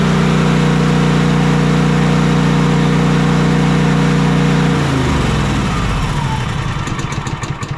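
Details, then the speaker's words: Cub Cadet Enduro XT2 SLX50 riding mower, 679cc EFI MTD engine, that intermittently wouldn't start or stay running, after seat switch fault found (switch taped for test): starts and runs steadily, winds down cleanly. "that looks to have solved our issues"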